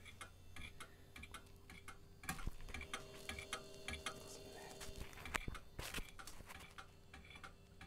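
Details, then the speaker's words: Vintage 90s Packard Bell A940 desktop, thrift-store find long unused, booting: quiet room hum with sharp, regular loud ticks from the hard drive; hard drive clicking, later sounding normal, suspected from sitting long. "come on hard drive no innate that sounds awful is this microphone picking that up"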